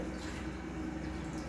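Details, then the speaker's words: Single 2000 GPH bilge pump on a Kings 12Ah power pack for a highbanker, drawing just under 7 A at around 12 V: steady even low hum with water washing through, no surging or rattle, running smoothly. "so as you can see, we're drawing just under 7 amps, around 12 volts. This thing's going to fluctuate a little bit, but it's pretty steady there, 7 amps."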